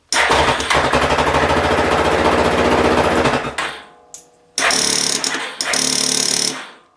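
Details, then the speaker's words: Yamaha 450 with a 7-year-old battery still showing 12–13 volts: rapid machine-gun clicking on the starter button with no cranking; solenoid chatter, owner suspects the battery is too weak to hold the solenoid in. "It tried to start, but now I'm getting a click. So you would think that that would be the solenoid."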